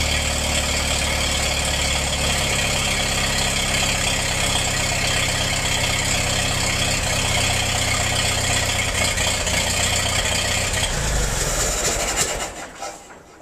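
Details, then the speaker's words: Massey-Harris 44 tractor, engine once stuck, sat 30 years, then stored 10 in a trailer; after the stuck intake valve repair and rocker fix: the engine runs with an even, steady beat, no knocks or misses, then winds down as the gas is shut off. "I guess that's not too awful bad for a tractor that sat for 30 years before I got it."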